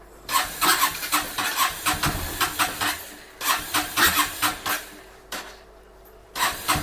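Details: Bajaj Pulsar NS160 BS6 that starts only at full throttle: short cranking bursts catch briefly, then it dies as soon as the throttle is released, before reaching 4 on the rpm gauge; stalling at idle. Fuel pump suspected.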